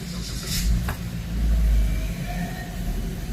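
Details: Toyota Veloz that would not start, after replacing blown fuse number two: deep steady idle rumble with no misses, knocks or ticks; engine now running normally, cause of the blown fuse still unknown.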